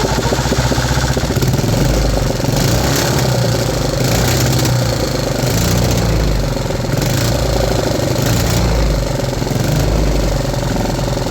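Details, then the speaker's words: 3D-printed 125cc four-stroke single with fixed 10° ignition timing, now free of misfires: loud, steady bark at about 4000 rpm top-RPM run with a choppy stutter like a rev limiter; running cleanly. "And this thing sounds amazing. It literally sounds like it's hitting a rev limiter."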